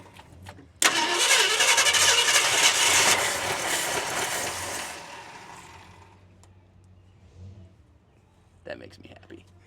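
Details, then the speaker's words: 1971 Ford F350 Crew Cab barn find, first start with distributor left loose: cranks, fires with loud uneven roar, then sags; major tick, owner suspects lifter or rod, timing possibly off. "Okay, I'm not I'm not totally disappointed. She actually fires up and runs. Now, there's a major tick in the engine."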